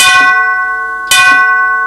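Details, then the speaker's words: 1939 NuTone Series 2 8-note long tube door chime, side-door tube at about half volume: two strikes with dull thud and flat short ring, clunks a little; cracked chime tube. "You can hear how it sort of clunks a little"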